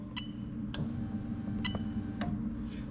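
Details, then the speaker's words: Lexus LS430 2000–2003 3UZ-FE VVT-i engine on a right-hand-drive test harness: four crisp clicks over a low electrical hum as the fuel pump relay is switched on during a fuel pump test, working normally. "okay so we're gonna go and test fuel pump now as soon as i press this little arrow you're gonna hear the relay click on"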